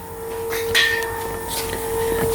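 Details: BMW E30 that died while driving: with the fuel pump relay jumpered, the pump only starts after being smacked, then a steady thin electric hum is heard under the car; failing fuel pump.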